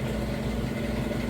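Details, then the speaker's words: Couple-years-old Amana top-load washer, normal cycle, deep water wash: final spin at full speed, even low hum, no thumping or wobble, smooth; normal final spin. "Alright, we are on that final spin. It's up to full speed, and as you can see and hear, nice smooth operation, sounds great."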